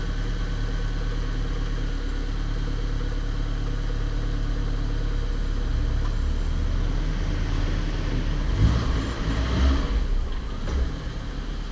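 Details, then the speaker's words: Corsa with a dented steel skid plate (peito de aço) that was touching the engine and vibrating badly; after removal the idle is steady and even with no rattle or buzz from underneath, vibration gone. "graças a Deus não está mais vibrando coisa boa hein"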